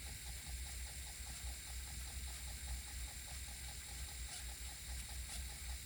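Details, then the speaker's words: 5.25" floppy drive on GreaseWeazle v4 with a double-sided double-density disc: soft spinning hum with faint even ticks, no stepping chatter; read head never moved. "Okay. I don't even think the read head ever moved on that."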